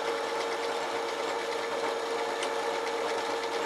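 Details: 380V electric motor rewired for 220V, triangle/star connection test, driving a drill with a 13 mm bit, the chuck's maximum: even hum with steady scraping bite, speed holds under load, working fine.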